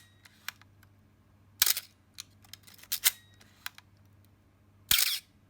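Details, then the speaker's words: Canon A-1 35mm film camera after lubricating the mirror damping gear: sharp shutter releases still carry a thin squeaky high edge; the infamous shutter squeak remains. "ah it's still there"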